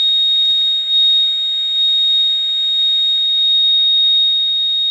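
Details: Radio receiver around 4:30 a.m.: steady high pure tone near 4 kHz over quiet hiss, heard on lower sideband, disappears on upper sideband, AM and FM; direction and source unknown – interference tone.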